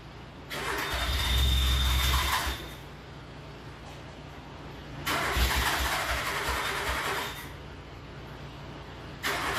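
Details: Le Car, an old French car, cranked twice for a few seconds each with front and rear fans on; it catches and sputters but never runs. Owner suspects fouled plugs and a wrong fuel mixture, with some flooding.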